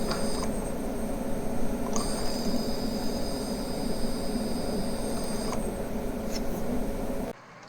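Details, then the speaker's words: Accurascale Mk2B model railway coaches on powered track: a thin, steady, very high whine with a second tone cutting in and out. It comes from the stay-alive capacitor charging circuit, not the lights, and continues with the lights switched off. "it's not loud enough I can hear it over running trains but it is sufficiently annoying that I can't leave the coaches on the layout if nothing is running it's not the lights themselves but the charging circuit for the stay alive capacitor"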